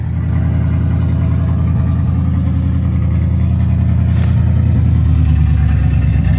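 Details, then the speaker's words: 1955 Buick Roadmaster after sitting over 20 years, new exhaust and rebuilt generator, idling before first road test: steady low idle pulse hunts up and down in speed and loudness; owner wonders if choke-related, also suspects manifold gasket noise; unconfirmed. "he's idling up and down I wonder if that's like a choke thing or something"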